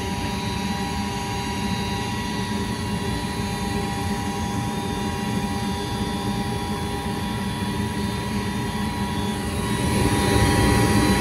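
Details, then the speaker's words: Goodman gas furnace on a no-heat call: steady draft inducer motor hum with a thin whine from slightly noisy bearings, judged not to be the cause of the no-heat fault. "That's just the induced draft motor. You're right, it's whining a little bit. That's to vent the gas out."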